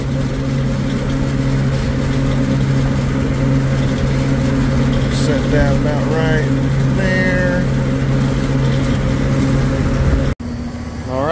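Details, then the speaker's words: Refrigeration condensing unit running with its fans powered, on a system whose liquid line solenoid valve had been installed backward. A steady low hum with even fan noise and no rattles or stumbles; it runs normally. "condensing unit is running now I'm going to go back inside and measure the difference of temperature across that liquid line solenoid valve"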